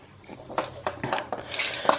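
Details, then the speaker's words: Cat flap swinging: uneven plastic clacks and rattles about three or four per second from loose, wobbly plastic hinges; later quieted with plastic grease. "the only thing this one's the only thing that bothers me is the noise that the door is making"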